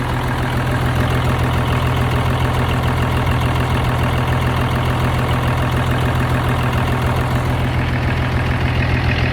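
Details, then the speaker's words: 1971 M35A2 turbo diesel deuce-and-a-half, after fuel pump pickup tube repair: deep, steady diesel idle with even low rumble and no stumbles or knocks; normal idle. "all right guys so my 1971 m35a2d turbo deuce and a half i'm gonna show you all for those that are curious if it runs you can hear it for yourself"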